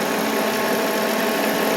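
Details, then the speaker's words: 1993 Mercedes 500E barn find at idle: constant hissy whirring, no low rumble, with an electrical smell; owner suspects a seized pulley bearing or failed alternator, hearing it loudest on the alternator side. "So the noise is still present. And it smells here. It smells like electrical. Either like I said, it could either be a pulley being stuck like a bearing, or it could be the alternator blew up."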